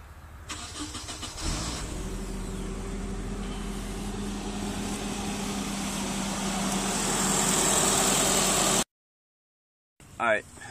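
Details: Car after Walbro fuel pump install, with the fuel pump relay fuse refitted and the pump primed with the key on: brief crank, then it catches cleanly and settles into a steady, even run. The new pump works.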